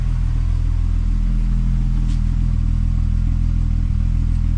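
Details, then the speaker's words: MK4 12v VR6 wagon idling just after a Techtonics 268 cam install, not yet warmed up, raining: steady, even low rumble with no ticking or rattle, running smooth, no marbles. "D mean running smooth it it's not a bucket of bolts so I don't hear marbles that's always fantastic"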